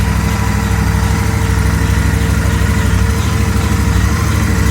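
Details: Royal Enfield Interceptor 650 twin at idle: a steady, unchanging howl over the even idle, an abnormal engine noise whose source is unidentified.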